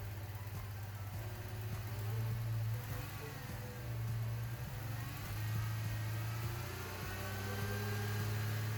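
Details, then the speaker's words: Ford Mustang with cylinder 1 misfire, flashing check engine light and lack of power, 170 psi compression, after spark plug replacement: uneven lumpy idle still stumbling; weak spark, ignition coil pack later found faulty. "Well, it looks like that didn't solve our problem, so we're going to continue looking."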